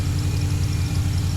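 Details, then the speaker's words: Junkyard 5.3 LS V8 in 35th Anniversary Camaro, stock cam, headers and boiler mufflers, clutch, water leak from reused gasket: steady, even low burble with mild, thin exhaust note, no knocks or misses; normal idle. "sound weak sound like a loud old radio sewing machine"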